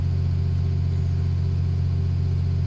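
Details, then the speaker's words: 2014 Ram Cummins diesel after aftermarket VGT turbo actuator replacement, held at 2,000 rpm for about 10 minutes to open thermostat: steady, even drone at raised speed, no knocks or misses; healthy. "Got to hold the engine, it says at 2,000 RPM for about 10 minutes until the coolant opens up."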